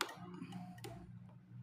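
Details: Honda Scoopy-i on its stand, key on, electric starter not working: light, sharp, even ticks over a low hum as the turn signal flasher works normally.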